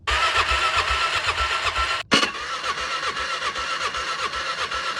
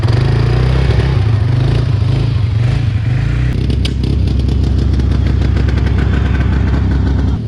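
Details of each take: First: 2006 Can-Am Outlander 400 HO 4x4 ATV sat for years: starter spins engine in even, quick chuffs with a short pause, never catches. Spark present but reserve fuel line dry, nothing coming out; crank-no-start from fuel starvation. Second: 2006 Can-Am Outlander 400 HO 4x4 ATV, first run after sitting for years (needed fuel added); single-cylinder revs climb and drop cleanly with no knocks or misses; engine sounds healthy.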